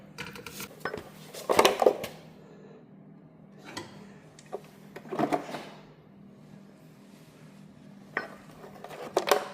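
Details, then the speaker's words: 267 small-block Chevy engine, tilted: loose metallic rattling in bursts like shrapnel sliding in the oil pan; owner suspects the engine lost a rod, with broken internal parts lying in the sump. "That sure sounds like there's a lot of shrapnel in the bottom of that pan. I think we have a 267 that lost a rod."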